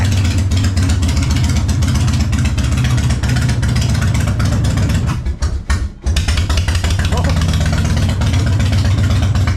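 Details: 1999 Harley-Davidson Fatboy V-twin idling after the gas tanks were cleaned and reinstalled, started on a jump box. Deep uneven potato-beat lope with a brief dip and recovery. Normal idle.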